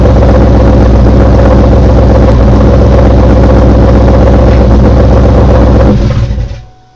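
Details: Engine just fitted with CMS stage 2 blower cams, at startup: loud, steady knocking about four beats a second over a rough idle until shutdown.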